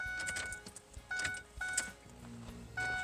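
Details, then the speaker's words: 2006 Ford Econoline E-350 that quit running, after fuel filter replacement: key cycled to bleed the fuel system, and short, steady electric buzzes come and go with each cycle. The fuel pump is priming normally. "I heard the pump. I could actually hear the pump. I don't know if you can or not. Just a little buzz there."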